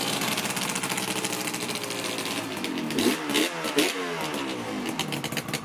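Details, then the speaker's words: Freshly rebuilt Yamaha RZ350 two-stroke (Banshee crank), first ride: crisp buzz, clean rising and falling throttle blips, no misses or rattles. Rider says it ran really smooth. Normal running. "This thing felt really good. It ran really smooth, quite excellent."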